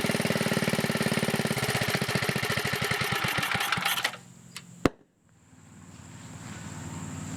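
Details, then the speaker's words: 1980 Montgomery Wards 2200 W generator with a Briggs & Stratton 5HP engine, after a NOS block swap and carburetor rebuild, air cleaner off: the single cylinder fires quickly and evenly with the governor working, then coasts to a stop. Runs healthy. "guys I'm happy whether it seems to be working pretty good"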